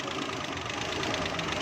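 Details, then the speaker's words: Suzuki Mehran 796cc petrol car idling steadily and evenly with a busy regular patter, no pops or misses, after ignition coil replacement cured its loud backfiring; normal idle. "हमने इसकी कोयल चेंज की है, तो उसके बाद गाड़ी बिल्कुल सेट हो गई है।"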